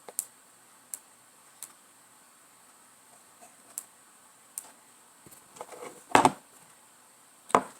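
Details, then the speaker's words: Jaguar X-Type with code P0778, 2-4 brake duty solenoid tested with direct power: sharp single clicks about every three quarters of a second from the known-good solenoid, showing electrical feedback. Normal operation; the other solenoid gives nothing and is bad. "You can even hear it. You can even hear it sparks. There's a feedback there."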